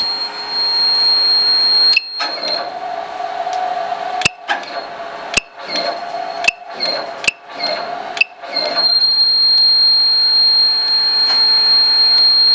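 High thin buzz that cuts in and out every second or so with sharp clicks between, constant pitch; abnormal buzz, cause unknown.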